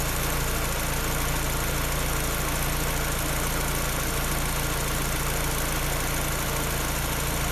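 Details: Peugeot 308 engine running: a steady light clacking, roughly three or four per second, over an even idle; a top-end clatter of unknown cause that the owner cannot identify.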